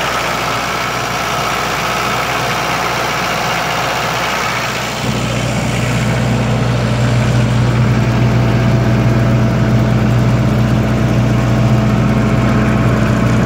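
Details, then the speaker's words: 1995 Libby MEP-804A 15 kW military diesel generator, 4-cylinder Isuzu, 2010 reset, 688 hours, cold start, runs at 1800 rpm: catches after about five seconds, steady even drone, no knocks, misses or leaks. "all good as you can hear it runs great no unusual noises whatsoever no leaks"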